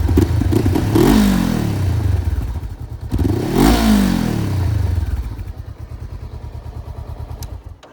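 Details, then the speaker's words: Honda CBR500R with an aftermarket exhaust. Two quick sharp revs, then settles into an even, lumpy idle with a throatier note. Loud only when revved, subtle otherwise; healthy engine. "So it sounds much better now, just a very kind of subtle loudness, which is what I like. And it's only when I rev it out is when it gets loud."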